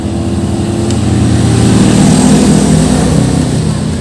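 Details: Jupiter Z small single after a failed bore-up, with worn bearing noted; revving steadily with a light, quick ticking over the exhaust note, consistent with loose valve clearance; valve train ticking.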